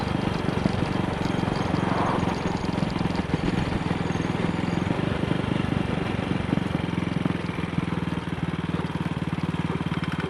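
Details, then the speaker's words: Single-cylinder motorcycle, Wassell Evolution carburettor (Amal Concentric Mk1 type), on a test ride after its twisted, dislodged needle clip was refitted (plug had gone black); it thumps evenly at low revs with no misfire, unlike yesterday. "In fact, the engine feels altogether better. Running nicely at low revs. Something that she was not doing yesterday."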